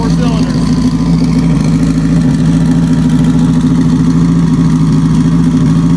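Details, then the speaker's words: Car with a sequential transmission, four-cylinder, after injectors reinstalled with penetrant lube on a sticking one; steady, even beat with constant low drone, no misfire, firing on all four cylinders. "so i'm just going to hook this last little breather line up here and hopefully turn the key and hear it run smooth"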